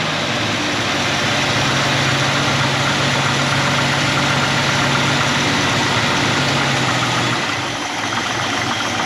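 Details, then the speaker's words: AMC 258 straight six in a 1946 Studebaker truck, just started after installing a Chinese eBay BBD knock-off carburetor, choke on: steady, even fast idle with a smooth hum and no misses; normal fast idle on choke. "all right it's running the chokes on here the top"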